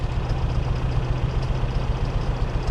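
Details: 2001 Dodge Ram 1500: deep, lumpy idle with an uneven low thump and knock; engine later threw a rod, cause here unconfirmed.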